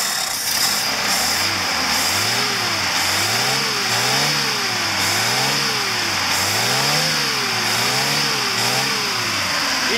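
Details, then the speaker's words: Lada engine after a new timing chain and an adjustable camshaft pulley: smooth repeated rev blips with a strong fan whoosh, no chain rattle; normal revving. "oh yeah here it's running and it sounds like a l motor"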